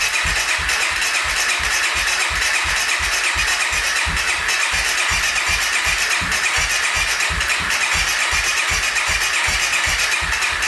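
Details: 2014 Honda CRF250L dirt bike, crank no-start: steady starter cranking with even compression thumps, about four a second, never firing; owner reports wet plug with spark and occasional pop; cranking compression near the 87 psi manual spec with decompression.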